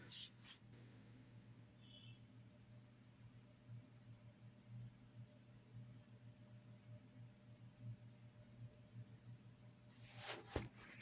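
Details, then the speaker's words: Threshold T200 power amp on a noisy apartment mains ground: faint erratic, sometimes rhythmic crackling over a low hum from the speakers; the fix is an RC filter (47–150 ohm resistor parallel 0.1 µF X2 capacitor) in the ground wire. "hopefully that came through it's kind of an erratic sometimes rhythmic crackling sound and it can be very very subtle or it can be loud enough that you can hear it from the listening position"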